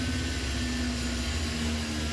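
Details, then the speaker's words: Machining a pre-drilled 1.25–1.5 inch pocket with a single-insert plunging hog shear tool and high-pressure coolant, now 1.5 inches deep; steady loud roar with low hum and faint high tone, spindle slightly more strained at the end. "Huh, a little more strain at the end. Still, sweet."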